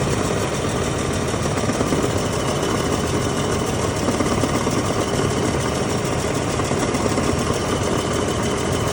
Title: 4L30E noise at idle